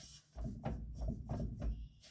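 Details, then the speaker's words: Fastback on a lift, in gear, driveshaft yoke rocked by hand: four dull low thumps, loose driveline clunk; owner suspects play at the pinion, unsure if excessive, after a harsh clunk while driving. "that might just be play all the way back at the pinion it might just be play at the pinion which I do have I don't know if that's excessive or not but boy it sounded harsh the other day when I went to drive this thing"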